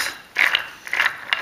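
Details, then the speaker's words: Electric vehicle with a 750 W motor, hot after a warm-up run on a test treadmill: a gritty, ratcheting grind as the gear is turned by hand, from a worn intermediate gear bearing between the motor and differential that carries heavy load; the bearing is to be replaced. "Well, there's a problem. This bearing in the mid gear between the motor and the differential. So it's getting a lot of load during the driving."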